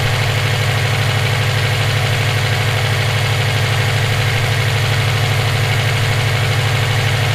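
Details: EJ257 at idle: a sharp, even, loud knock about three times a second stays constant over the idle, present for about 17k miles since purchase; owner suspects rod knock, a spun bearing or valve lash. Internal knock, cause unconfirmed.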